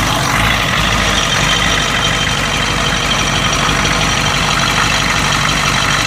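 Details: 1992 Ford 7.3 IDI diesel at idle, rough and uneven with random stumbles, knocking and a steady hiss of blowby. The misfire and blowby come and go. Teardown found broken second rings on two pistons and one bad valve guide.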